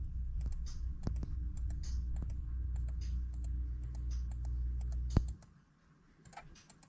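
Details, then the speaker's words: 1978 Chevrolet El Camino, LQ4 LS engine with rebuilt 4L60E transmission, pan off, solenoids commanded on/off via tuning software: sharp crisp clicks in quick bursts; shift solenoids both working normally. "So third is both of them off. First is both of them on. And you can actually hear them both click in."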